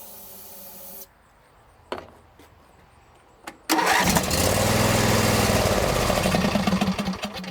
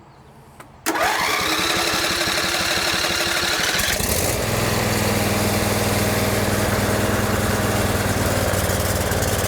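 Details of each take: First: John Deere lawn tractor with spark, good fuel filter and pump: cranks, runs only on sprayed starting fluid, roars a few seconds then fades, even with full choke; the carburetor fuel shutoff solenoid doesn't click, suspected stuck closed. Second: John Deere L120 lawn tractor, Briggs V-twin, sat about a year, after a repair (now clicks with the key): cranks briefly, catches right away and settles into a steady, even beat with no misses; runs normally.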